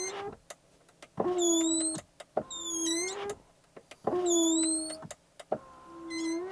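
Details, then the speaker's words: Ferrari Purosangue, 6.5L naturally aspirated V12 SUV with just 4,000 miles: short bursts of power window motor whine with high chirping squeaks over each stroke; abnormal window mechanism noise. "This is a super expensive luxury car. Yet, after just 4,000 miles, we're getting this noise from the window."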